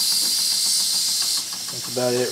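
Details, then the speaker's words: Wilesco D6 model steam engine with the whistle opened to bleed pressure: loud steady steam hiss with faint, slow, even chuffs. Normal slow running on reduced pressure. "now I'm going to open the whistle up a little bit here to lose some pressure we'll see how slow we can get the engine to [Applause]"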